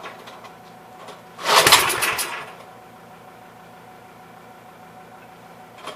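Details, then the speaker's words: Troy-Bilt tiller, parked long, fuel line replaced, carburetor leaking: catches once for about a second with a ragged burst then dies; had spark, about 82% sure it's a bad spark plug. "How it hit once and it'll never hit again. Okay. Okay, won't run for a second."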